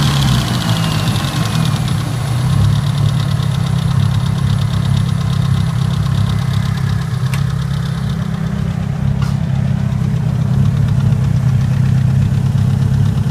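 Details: Mitsubishi Evo 9 at warm idle, with a noise starting only after about 3 miles of driving: a light, fairly quick tick over the low engine hum. The owner is unsure whether it is valve tick or rod knock.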